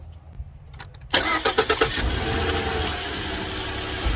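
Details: 2013 Ford F-150 with a hard start after filling up, started with a connector and hose removed before a vacuum check. Short cranking burst that catches within about a second and settles straight into a steady idle; a normal quick start.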